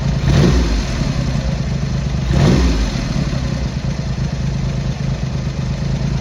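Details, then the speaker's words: Triumph Hurricane X75 triple, not fully warmed up, after carb rack rebuild, pilot screws richened and left carb adjustment corrected: two clean blips dropping to fairly steady, slightly lumpy idle; running acceptably, rich with dark smoke off idle. "That's better. So we're getting there."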